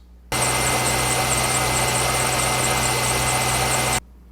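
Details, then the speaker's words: 2002 Chevrolet Corvette Z06 idling with a steady high-pitched squeak from the belt drive at the front of the engine; serpentine belt squeak, component not yet identified. "so hopefully you heard the squeak that's coming from the belt drive system at the front of the engine"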